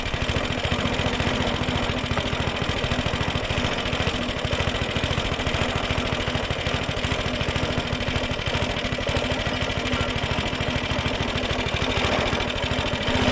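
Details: Suffolk Punch mower, small single-cylinder, after fixing the locked drive that would not disengage: steady even running with a light rattly chatter, no misses or surging; runs, cuts, drive disengages as it should.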